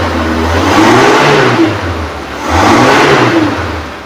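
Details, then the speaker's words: 2005 Suzuki Carry PV 1.0: two clean rev-ups that rise and fall smoothly, with no knocking, rattling or whine; no odd noises. Normal revving. "Kita naikkan RPM pun suaranya masih oke, masih bagus, aman, tidak ada ciri-ciri mesin bermasalah."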